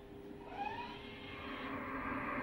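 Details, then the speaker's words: 2019 Tesla Model 3 (built after September 2019) creeping forward; Pedestrian Warning System emits whistle-like tones gliding upward and holding over quiet hiss; normal forward warning sound, tone varying with speed 0–19 mph. "makes a big sound like a whistle you hear it and that's the p WS system"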